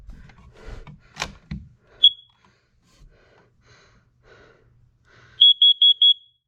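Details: A high chirp, then four rapid beeps, from the upstairs carbon monoxide detector during a monthly alarm test: the correct test pattern, so the alarm is good.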